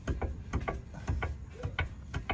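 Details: Kia Sportage: dull, heavy clunks about twice a second from the left rear, a rear suspension knock. The lower arm is suspected, not confirmed.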